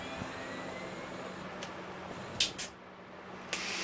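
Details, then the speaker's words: MX dirt bike exhaust pipe pressurised with air for dent removal: a constant faint hiss with a few sharp puffs. Air is leaking from fittings that were not tightened enough and need tightening. "Uh-oh. Let me go see where that leak's coming from. I hear a leak."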